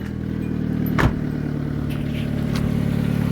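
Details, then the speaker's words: 2005 Hyundai Accent, 153,897 km, first start after backyard MIG-welded exhaust repair replacing a broken flex pipe; uneven puffing tick at idle, about four a second, over low engine hum; still sounds leaky, leak felt further down from the clamp/flex joint. "see if this old accent is gonna sound okay I would have gotten the clock 153 897. and uh powering up oh does it sound leaky"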